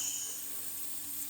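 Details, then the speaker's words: Honda CX500/650 carburettor with non-adjustable plastic floats, fuel inlet fed very light air pressure: faint steady high-pitched hiss as the float needle valve leaks, not sealing, carbs had been overflowing fuel out of the breather. "and you can you can hear that leaking there you know like if I spray a little bit of just a little bit of WD-40 on it you can see it bubbling out of it"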